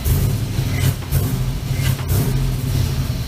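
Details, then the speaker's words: 1965 Chevrolet C-10 with LS swap, after new coils, plugs, wires and injectors, check engine light on with cylinder 5 misfire: engine blips up from idle but stumbles briefly before catching; hesitation off idle. "Still feels like it's got a little hitch in its giddy up. We still have a check engine light on, but well, until we clear that, that'll probably stay there. Still hesitating off idle."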